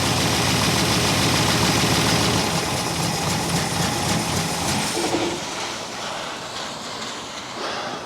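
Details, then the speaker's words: 1964 Buick Electra, sat 25+ years and freshly unseized. Lumpy idle stumbling about three times a second, then the engine winds down; a miss that the choke doesn't fix. Idle circuit probably partly plugged (suspected). Water pump disconnected. "It's definitely got a miss. Let's see if it'll run a little better with the choke on. No, it doesn't really. Idle circuit's probably plugged up a little."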